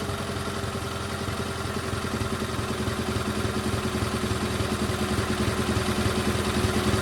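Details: GT/18 after ignition rebuild: even quick exhaust beat climbing steadily as revs rise, no misses or knocks; runs better than before, carburetor still needs tuning.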